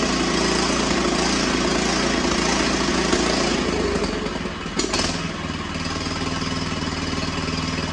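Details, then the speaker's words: Cub Cadet XT1 Enduro LT42, Kohler 18 hp single-cylinder, cold, just after carburetor cleaning and choke adjustment for long cranking: idle sags and picks back up, a slight surge; owner hopes it goes away when warm. "well you could hear it's doing a slight surging maybe that'll go away when it warms up it's pretty cold"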